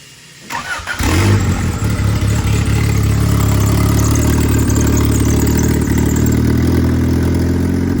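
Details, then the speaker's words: Honda Civic sedan with freshly installed B18 engine, new turbo and new distributor, on stock injectors and stock ECU, first key start after wiring: brief crank, catches within a second, steady even idle with no misfire or knock; normal. "now that you know we have the wiring in the car it starts with the key the tack the RPM Works everything works now"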